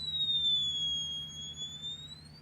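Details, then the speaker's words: 300B vacuum tube amplifier kit, first fitted with a 0.47 µF capacitor: pure high whistle sagging then climbing in pitch over a low hum, the amplifier oscillating; capacitance later reduced below 0.47. "When I first put 0.47 on, the amplifier oscillated like this ."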